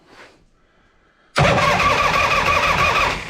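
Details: 1976 Harley-Davidson FLH after a 10-month restoration, rear jacked up, in neutral, no gas yet: a starter test to check oil pressure. Silence, then steady even cranking at about three beats a second without firing. Healthy cranking; oil pressure confirmed.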